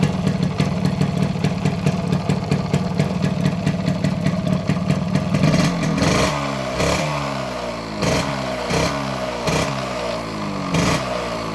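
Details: Modified Yamaha RX100 two-stroke with imported carburetor and Indonesian RX King CDI wiring alteration: crisp even idle, then sharp throttle blips rising and falling cleanly without cut-out; healthy engine.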